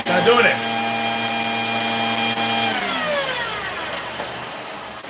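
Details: Vacuum with the suspect wand part bypassed, hose going straight to the head, pushed forward as before: a smooth, even motor whine with no cutting out, then a clean wind-down; it runs normally.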